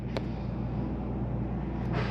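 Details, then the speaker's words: 2023 Palomino Columbus 329DV RV rooftop air conditioner set to cool on high from the control panel. A steady, even low hum with a constant airy rush and no knocks or rattles. The AC runs normally. "let's crank up the AC get it all the way down Crank It Up On High there it goes AC system you hear it running"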